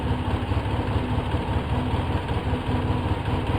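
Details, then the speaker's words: 2004 Polaris Sportsman 700 twin with seafoam in fuel, slight choke, idle turned down to 1100-1120 rpm, cleaned Autolite plugs: fairly steady idle with slightly uneven pulse, no misses or knocks; acceptable idle. "It don't sound bad. It don't sound good, but it doesn't sound that bad."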